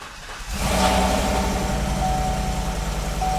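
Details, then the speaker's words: Cheap Copart Chevy truck after transmission work, starting and idling with an irregular stumble; cylinder 3 misfires consistently, cylinder 1 occasionally; coil and spark plug tested, not the injector or spark; cause unconfirmed. "cylinder 3 still misfiring consistently that sucks and cylinder one misfires occasionally"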